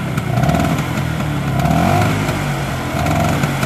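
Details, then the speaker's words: Vespa Super 150 two-stroke scooter, pre-touring health check: buzz rises promptly with each throttle blip and falls back cleanly, no delay or stumble; smooth, responsive engine indicating healthy bearings. "nah suara mesin halus. Ketika ditarik gas juga dia langsung ngegas, nggak delay dulu, nggak berebet dulu, langsung narik."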